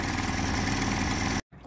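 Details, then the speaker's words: Air-cooled outboard on a johnboat out on the water: steady, slightly labored idle that abruptly cuts out and dies; engine started really running rich and loading up with too much fuel. "well for the sake of documentation that's about all the farther I've made it thus far the engine started really running rich I think died"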